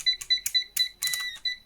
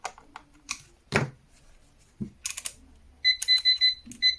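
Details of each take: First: PeakTech P 1670 TrueRMS clamp meter beeper sounds uneven, buzzy and crackly near 2 kHz because its low, near-expiry old-batch battery is weak; battery to be replaced. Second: PeakTech P 1670 TrueRMS clamp meter giving clean, steady, crisp high-pitched beeps after its old battery was replaced with a new Varta; normal beeping.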